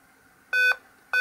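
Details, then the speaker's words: Alienware M11x R3 gaming netbook with faulty keyboard, struggling to power on: loud, even mid-pitch double beeps about 0.6 s apart repeating over and over with a black screen, battery low; power-on fault, cause unknown. "you go guys this is what I mean by the beeping it's very loud and it will do this over and over again"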